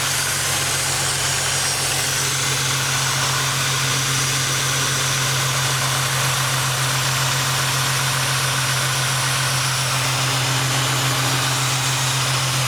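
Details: Ford Mustang at steady idle stumbling unevenly with a hissy background; P0300 random misfire traced to a loosely attached intake manifold vacuum hose, P0171 remaining, suspected clogged fuel filter or failing fuel pump.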